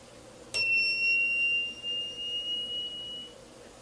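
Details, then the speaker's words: Voltage inverter: at switch-on it gives a single high steady beep for about three seconds, then stops; this is a classic fault, the output is shorted, likely blown MOSFETs. "ele automaticamente quando eu ligo ele apita e depois ele para o apito né"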